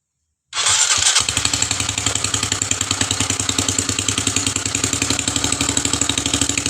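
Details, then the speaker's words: Rebuilt Honda CB150 single-cylinder engine, run with the cylinder head cover off to check oil circulation: sharp, rapid puffing like a leaking exhaust, from the open low-emission (secondary air) valve. It should be quieter once covered. "Tadi ada suara yang kurang enak itu tadi, kayak semacam knalpot bocor. Itu dari sini teman-teman. Nih, dari katup low emisi ini."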